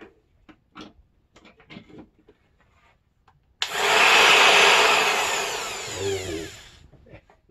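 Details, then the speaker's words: Old sheet sander, cleaned of dust, with the sanding pad removed: a steady, high whirring spin-up with even pitch and no grinding, showing the motor is fine and the jam is in the pad. "it's spinning very well so we know the problem is on the pad and not with the motor"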